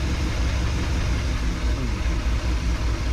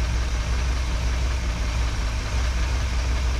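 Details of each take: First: 1961 Chevrolet Parkwood wagon with new exhaust, idle being set with the mixture screws: a low, uneven rumble surging and dipping at about 650–700 rpm. A rough, hunting idle. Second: 1961 Chevrolet Parkwood V8 with new exhaust, mixture screws tuned by ear, idle dropped to about 650-700 rpm: low, steady burble with no misses or knocks; normal idle.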